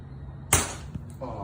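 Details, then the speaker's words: 1962 Chevy C10 with 5.3 LS swap and 4L60E, engine off while priming fuel and watching the pressure regulator before first start; one sharp pop then a brief hiss; a fuel injector blew out. "what was that a little ejector on there yep"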